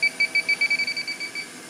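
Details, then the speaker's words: Walk-in cooler evaporator coil, system down to 10 psi, leak detector used manually: about a dozen quick high beeps, roughly seven a second, fading out; refrigerant leak found at the coil. "it's not not going off where we thought it was originally but manually it sounds like it's right in that area so you got right there finally found it had to take it down to 10 pounds of pressure to get it"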